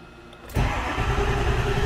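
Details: 2002 Ford 7.3 Power Stroke diesel after fixing a rubbed-through 115 V right-bank injector feed wire, valve cover gasket and glow plug issue (codes P1316, P1291): quick crank, clean catch, steady even idle with no stumble or miss.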